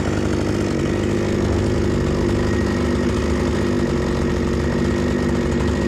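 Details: Proyard 450 chainsaw that wouldn't run, fixed by tightening a loose cylinder and adjusting the carburetor, warming up: steady, even two-stroke buzz with no misses or surging; running normally.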